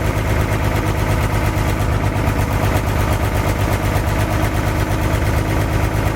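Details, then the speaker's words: 1962 Chevy K20 old V8, first start after rebuilt carburetor, cleaned distributor points, temporary gas tank and wiring; loping idle with occasional dropped pulse, slight skip at idle, cause not identified. "it's hard to tell but it sounds like it's got a slight skip to it aside from that I'm pretty darn happy"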